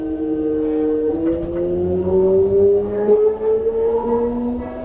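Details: Toei 5300 series set 5315, Mitsubishi GTO-VVVF, Keikyu limited express Misakiguchi–Kanazawa-bunko, in-car recording; rising electronic tones stepping up while pulling away with an odd, uneven whine, abnormal traction inverter noise.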